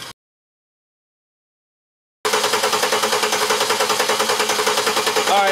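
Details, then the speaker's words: Misfiring engine disabled from starting (coil or injectors unplugged) and cranked: lopsided cranking beat around 200 pulses a minute, one cylinder with no compression, confirmed by only five of six compression humps on the lab scope. "you crank the engine over and you hear that sound that's that's no compression in one of the cylinders"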